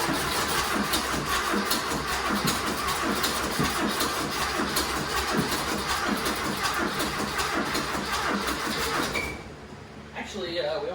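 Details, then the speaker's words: Turbo rat rod Porsche 930 on new bigger carburetor, fuel pump turned up to max: lumpy, uneven idle that sags and nearly stalls; owner suspects fuel starvation and a weak fuel pump. "it's starting it's just not idling very much i think we need a better fuel pump i got my fuel pump turned up as much as it'll go it's still just it's acts like it's starving for gas"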